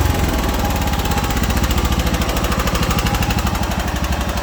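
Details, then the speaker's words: John Deere 240 small engine after a carburetor clean and idle mixture screw adjustment in quarter turns: even, steady firing pulses with no misses or stumbles, though it still wants choke; normal idle. "sounds pretty good to me foreign still wants choke"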